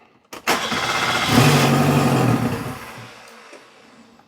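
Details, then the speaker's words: Invacar engine after fuel pump stopped being audible: short crank, catches and runs rough about a second on starting spray, then dies; won't run on its own fuel, fuel pump failure suspected. "Yeah, it runs on something. What it doesn't run on is uh its own fuel."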